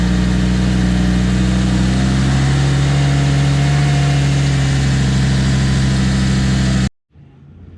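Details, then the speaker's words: Lamborghini Gallardo 5.0 V10 after replacing the spark plugs and coils, covers still off: a smooth, even idle with a steady low hum and no misfire before shutoff. Normal running. "we go ahead and fire it up make sure she runs and everything's connected as it should be before I put everything else back together"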